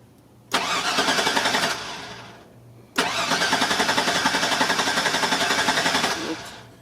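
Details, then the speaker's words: 2001 GMC Sierra crank-no-start: two cranking bursts, steady even starter chug about four per second, engine never catches; relay control and wiring checked good, no fuel delivery, confirmed failed fuel pump needing tank drop or bed lift. "Alright, so it's 100% confirmed. The problem is your fuel pump."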